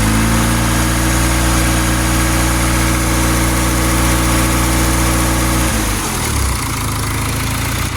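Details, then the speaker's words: Honda D16Z6 engine, 420hp+ build, first start: deep, steady idle with an even low thrum, no knocks or misses, revs settle; runs smoothly, timing not yet set, to be checked with a timing light. "sounds good though I just got adjust the timing let me see I can get the timing light on it and see where it's at"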